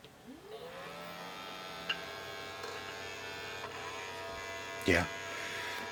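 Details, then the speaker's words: Original Xbox, opened unit, no video, flashing light: light motor whir with clicks and a clunk as the DVD drive changes directions, trying to read and failing; suspected busted drive belt. "that's the disk drive making all that noise see how it's flashing it's trying to trying to do something with the drive"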